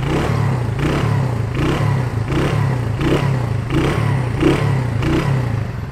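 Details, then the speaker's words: Honda Win 100 (Indonesia) single-cylinder, engine fully rebuilt, battery dead: crisp, even revving in steady pulses about every three quarters of a second; engine runs smooth and healthy, normal running. "Ok thì bây giờ em cho anh chị nghe cái tiếng máy của tiến bộ của nó nè xe này cái cục máy cực kỳ ấm luôn máy rất là"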